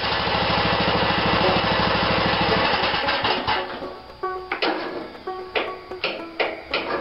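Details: 16.5 HP Briggs & Stratton mower engine, not cranked much in the last week: cranking gives way to rough running with sputtering uneven bursts; owner unsure whether it has a compression release.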